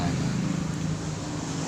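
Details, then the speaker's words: Honda Supra motorcycle with a new piston, connecting rod, cam chain and tensioner: the engine idles with a busy metallic chatter, which teardown traced to a seized oil pump gear. "tetapi bunyi mesinnya gemericik sekali"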